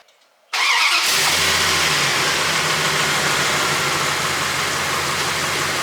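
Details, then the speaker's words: 1998 Dodge Ram 1500 after installing a new serpentine belt and tensioner pulley (previously squealing louder every cold morning start): cranks, catches and idles steadily for 2–3 minutes with no belt squeal or chirp. "Alright guys, she's been idling for about 2 or 3 minutes. Nothing crazy falling off yet, so I think everything's good to go."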